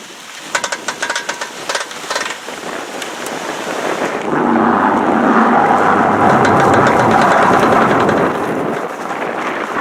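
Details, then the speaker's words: 2012 Honda Odyssey, turning and accelerating: rapid regular clicking about four per second, then crunching through snow; classic failed CV shaft, replaced. "that's a pretty classic sound of a failed CV shaft so for those of you who don't that's what they sound like"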